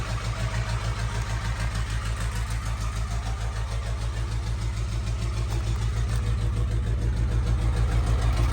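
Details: Diesel after winter storage at 11°F, filter filled and system primed after 15-20 minute thaw. Heavy uneven chug about three beats a second, loping; owner suspects air in lines and bad, gelling fuel.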